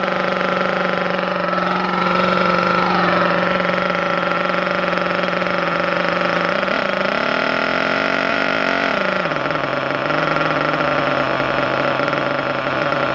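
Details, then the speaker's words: Thunder Tiger EB4 S3 nitro RC car, just started in cold weather after priming carb with fuel: steady high-pitched idle with brief blips, noticeably quieter than the S2; normal idle. "And you can already hear how much quieter this one is compared to the S2."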